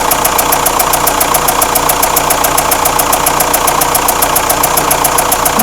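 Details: Renault Espace 4 2.2 dCi diesel at idle with a sharp, regular clatter a bit over two ticks per second above the engine; engine knock, source and cause not confirmed.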